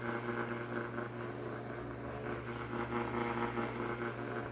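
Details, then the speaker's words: Early-1960s FoMoCo car radio on the bench: steady buzzing hiss over low hum, no programme, electrical interference through the speaker; owner suspects the camera is causing it, to be checked off camera. "the camera is what's doing it i'm going to see if it works off camera"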